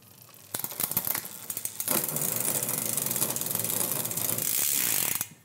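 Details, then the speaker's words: Bicycle rear derailleur with extreme limit-screw settings. Fast, uneven clicking and chain chatter come from the cassette while pedalling, as the derailleur fails to settle on a cog. Shifting is poor; chain length is suspected, not confirmed. "foreign that sounds terrible let's see if we can figure out what the heck they were thinking"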